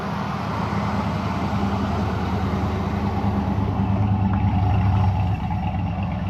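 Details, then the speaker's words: 1992 Ford Mustang LX 5.0 V8, parked over 10 years: steady even idle with a smooth low burble, no misses or knocks, idling down perfectly. "Even idling down perfectly. That EGR doing its job."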